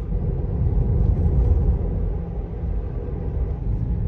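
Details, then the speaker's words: Tesla Model 3 after upper control arm replacement at Tesla service, following 5,500 squeaking km: driving and steering with only steady low road rumble, no squeak or creak; front end quiet. "wird es jetzt richtig und ich muss lenken und alles und es ist einfach mucksmäuschenstill"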